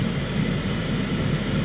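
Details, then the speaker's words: 2011-2015 Hyundai Sonata hybrid cabin blower fan after replacement (old one rattled, bearings seemed to be going): smooth even airflow whoosh with steady low hum, no rattle or ticking; new blower running healthy. "it sounded like the bearings were going out in it basically it was making a lot of noise this one's running nice and smooth"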